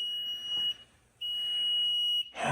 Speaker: And here's his 2 flashes and an alarm.